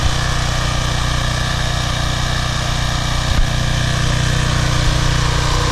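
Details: Briggs & Stratton 190cc 8.75 single-cylinder engine on a PowerFlow Plus pressure washer, restarted after carburetor cleaning (clogged bowl screw jet, oil, dried gas removed). It runs steady and even with a constant fast beat and no surging or misses; healthy.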